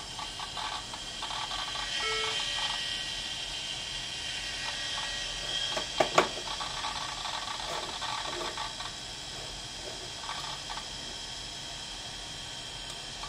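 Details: Apple Macintosh LC 475 on first boot after installing System 7.5.3: the old hard drive whirs with an irregular ratcheting chatter and a sharp clatter burst midway, suggesting a failing drive. The cause is suspected, not confirmed.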